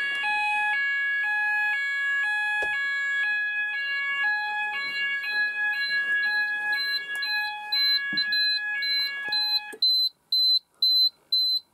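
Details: Apollo addressable fire alarm system test, sounders activating after panel reset: loud alternating two-tone warble about two cycles a second, then steady high pulsed beeps; sounders operating normally.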